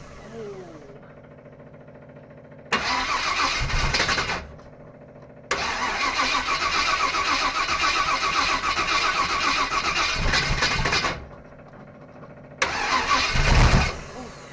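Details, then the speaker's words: 1955 Willys Wagon first start after rewiring: three cranking bursts, the middle fires and runs rough about five seconds then dies; owner suspects a bad fuel pump or plugged fuel line. "So, I think that either that fuel pump is bad, or this line is plugged maybe. I don't know. But sounds like she's gonna run."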